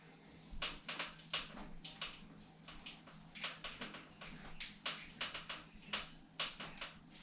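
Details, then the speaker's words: Devinci Spartan mountain bike headset: sharp dry creaks and clicks in irregular bursts about two a second as the bike is rocked; owner warns it could damage headset bearings or frame. "hey guys so today we're going to talk about the headset Creek it was just recently opening day for a mountain bike hill at Poly so took it with my Spartan and of course very first Trail this is what I hear"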